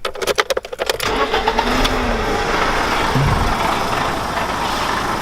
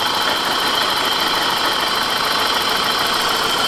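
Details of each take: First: 1991 BMW E30 Touring, hot after a half-hour drive, after fixing valve ticking: brief crank, quick catch, steady even idle with no clear top-end ticking; running smoother, normal idle. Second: 1991 BMW E30 Touring petrol engine idling: light even tick about three a second from sticking hydraulic lifters, before treating with Marvel Mystery Oil.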